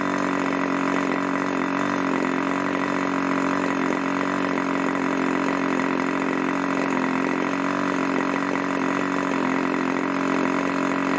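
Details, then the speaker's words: Irvine 40 MkII 1980s ABC glow engine, 10x6 prop, 7% nitro 20% oil fuel; steady even buzz, no hunting or misfire; holds nice idle just over 2,500 rpm, maximum about 12,300 rpm after rich needle tuning; normal idle. "seems to hold a really nice article just over two and a half thousand rpm we're getting a maximum that 1,300 which is really nice"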